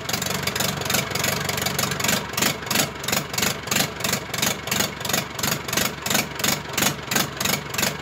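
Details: Zetor Crystal 8011, first start after engine rebuild: steady diesel clatter with an even pulse of about three beats a second, no misses or knocks; smooth, healthy idle.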